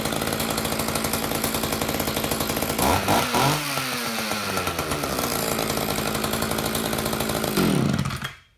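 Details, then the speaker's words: Roughly 31-year-old Echo CS-550EVL chainsaw, first start after repair, choke on, bar and chain off: crisp, even two-stroke rasp that dips briefly when throttled, then runs clean. The oiler works and the saw runs normally. "that is a beautiful thing when you fire something up like this"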